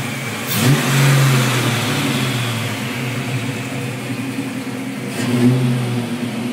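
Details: 1987 Mustang with BBK equal-length shorty headers, 2.5" H-pipe without cats, American Thunder exhaust, after fixing exhaust leak by notching crossmember and seating header flanges: two clean smooth throttle blips, no ticking; PCV vacuum leak remains.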